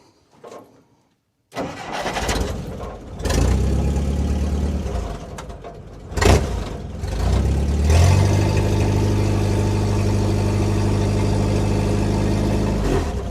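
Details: 1958 Willys DJ-3A, L-134 Go-Devil four-cylinder, after replacing leaking water pump with OMIX 17104.01 and refilling coolant: cranks briefly, catches and settles into steady, even low idle, no knocks or misses; normal idle.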